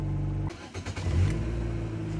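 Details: 2000–2006 Nissan Sentra 1.8 after fuel pump replacement, pump primed several times before starting: engine catches after a short stumble and settles into a smooth, even idle with a steady low hum; normal.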